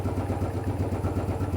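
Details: Royal Enfield Bullet 500 (last 500 UCE, pushrod, hydraulic tappets), 18,000 km, stone cold first start of day: single thumps evenly at fast idle, about eight beats a second, no tappet ticking; quiet healthy valvetrain.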